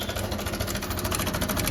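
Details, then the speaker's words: TVS Apache RTR 160 BS6 motorcycle at idle: fast even metallic clatter from stretched timing chain, quieting when revved and returning on throttle release. "Engine की आवाज एक बार आप सुनिए काफी ज्यादा आवाज काफी ज्यादा शोर कर रहा"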